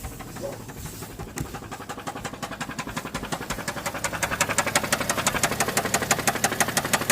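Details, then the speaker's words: Subaru Tribeca, knock started suddenly while driving, heard on the right side near the battery: sharp metallic clacking at about three per second that quickens on light throttle; engine knock, cause undetermined. "стучит прям прям обильно стучит вот даже сейчас маленько газку даже поддамся"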